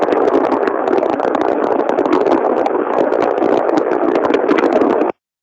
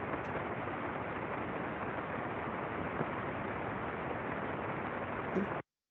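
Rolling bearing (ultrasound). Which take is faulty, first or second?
first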